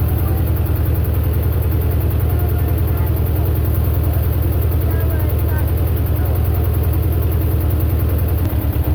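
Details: Belarus 250 tractor, two-cylinder air-cooled diesel, running after fuel delivery fix following years sitting: steady, even low diesel chug at idle with no misses, knocks or stumbles; running healthy.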